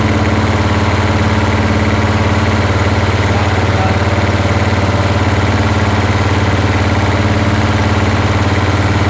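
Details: 1981 Toyota Hilux RN46 4x4 with 18R-C engine, freshly rescued, running off a hand-held fuel can: steady idle around three pulses a second with a slightly lumpy beat, backfiring; owner guesses ignition timing slightly out.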